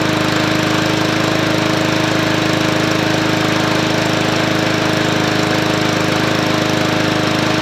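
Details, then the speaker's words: MTD Yard Machines 20-inch push mower, Powermore engine: steady run with regular knock about 143 per minute, something hitting, not the blade, not heard when turned by hand; smoking badly; cause unconfirmed. "there it sounds like it's not the blade no sounds like something hitting yeah but I don't it's smoking real bad too"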